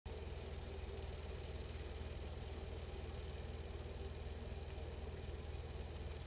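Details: Engine at idle with a steady light ticking about twice a second, regular and unchanging; source not identified.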